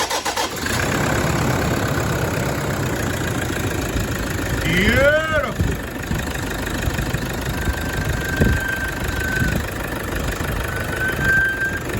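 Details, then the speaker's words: Toyota 1KD-FTV diesel, first start right after a new full injector kit: a short crank catches quickly into a steady diesel clatter; it briefly sounds loaded from shifting into reverse, then neutral; healthy start. "and once again this is what it should sound like after the injectors when you go to crank it"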